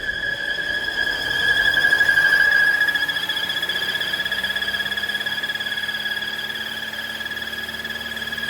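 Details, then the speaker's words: 2017 Volvo V40 2.0 petrol at idle, revs rising on their own: steady high squeal that stops when the oil cap is released, from a faulty PCV valve with heavy crankcase suction. "So we'll just start it up now. You can hear the squealing noise there already. It might start picking up in a minute."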